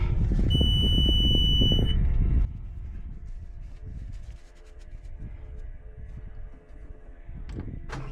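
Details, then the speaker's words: Cat 279D3 skid steer (about 2019) diesel after main drive hydraulic hose repair: warning beep over cranking, catches at once and settles to a low, even idle. Normal engine start; "let it run for a little bit. Sounds good." "let it run for a little bit. Sounds good."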